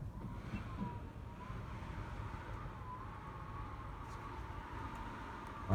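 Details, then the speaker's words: Wind whistle on a severe easterly-wind day: thin wavering high-pitched whistle over low wind rumble as gusting air leaks past a seal, with the neighbouring one whistling too. "you can hear this it's an easterly wind blowing up the Thames but this shoe code or set here is whistling away as is the one next to it"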